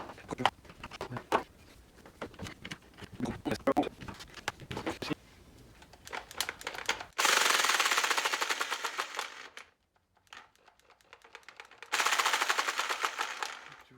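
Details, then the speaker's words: Jigsaw reassembled with a few screws after freeing a sticking switch: handling clicks, then two steady bursts of fast even blade chatter at constant motor speed; runs normally. "ça à l'air de fonctionner"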